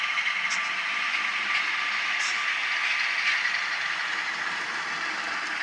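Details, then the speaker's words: Rebuilt Atlas Cotton Belt RSD-4/5 model locomotive motor, not run for years: a steady high hum with faint, even gear clicking; it runs smoothly, and the earlier commutator whine disappeared after running in. "it seems to run pretty well runs really smooth it's just strange to hear the commutator of all things whining it's really running smooth itself"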